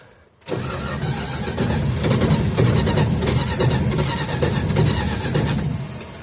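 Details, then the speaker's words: 1969 Dodge Dart left six months on old 10% ethanol gas, carb bowl gravity-fed: turns and fires weakly but never builds to a steady idle; accelerator pump squirts and the bowl has fuel that isn't drawn down, owner suspects a sludged carburetor. "So there is fuel in the bowl, but for whatever reason it's not taking it down."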